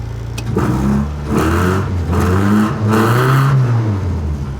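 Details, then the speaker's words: 1975 Toyota Corolla KE35 with a baffle in the exhaust: three clean throttle blips rise and fall smoothly over a rowdy, throaty exhaust with no misses and no leaks; healthy engine revving. "it sounds Rowdy it sounds really [Music] Rowdy so yeah I mean all in all good happy there's no leaks there's nothing it sounds good I'm happy with this"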